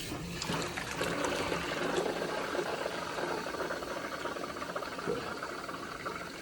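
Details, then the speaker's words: US Boiler X2 gas boiler, on a service call for a leaking relief valve: water is forced through the pressure reducing valve, boiler, circulator and zone while pressure stays low, giving a steady hiss and trickle with no hammering, a normal fill flow. "we're forcing water through the boiler through the Circ through the Zone keeping an eye on the pressure which doesn't seem to be much right now"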